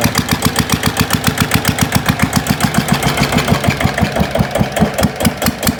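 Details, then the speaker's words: GA70 single-cylinder diesel on a water-pump stand after water-contaminated sump oil was drained and the plugged sump drain opened; even unhurried thumping about 2.5 beats a second, no extra knocks; healthy normal idle. "เช็คเช็คทุกระบบระบายไ้าระบายแล้วมั่งเครื่องลื่นแล้วเนี่ยนี่ฮะเสียงเครื่องลื่นะ"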